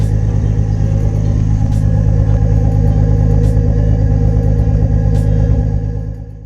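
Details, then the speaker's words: 1987 Nissan 300ZX (Z31) after patching a fist-sized hole in the aftermarket over-axle exhaust pipe: deep, steady tailpipe rumble with no puffing or ticking from a leak; repair holds, exhaust sealed and healthy. "Obviously you can hear that the exhaust is coming out the back."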